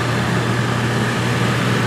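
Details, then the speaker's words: Coachmen Wyoming fifth-wheel, rear rooftop A/C: blower roars steadily with a hum but air blows out of what should be the intake, with poor airflow and excess condensation; owner later finds added ductwork. "air blowing on my hand that should not be doing that that should be the in life so something tells me it's not right"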